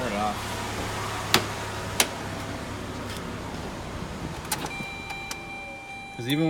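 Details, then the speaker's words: 2006 Saturn Ion Level 2 after replacing the front transmission mount: the engine starts and settles into a smooth, steady idle with no shake. It previously shook on startup; it now sounds normal. "Oh yeah, much better. No engine vibration. Sounds good."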